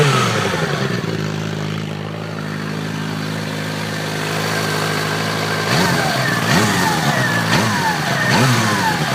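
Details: Suzuki GSXR 600 K6: a clear whine over the idle rises and falls with each throttle blip; it persists after the starter clutch was replaced and after the cam chain and tensioner were replaced, cause still unknown.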